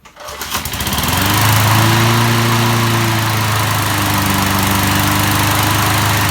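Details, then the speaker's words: 1988 MTD self-propelled mower single-cylinder engine, cylinder head just refitted, running on premixed fuel, catching within a second and settling into a steady, even, clean run. "okay so it runs not too bad"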